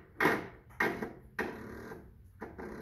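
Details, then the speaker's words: Craftsman tractor with 18 hp Kohler Magnum twin, possibly run out of oil, oil filter loose: three or four clunks half a second apart, starter heard engaging but engine won't turn; owner suspects engine seized. "But the biggest thing is the engine. When you do go to crank it, it kind of clicks."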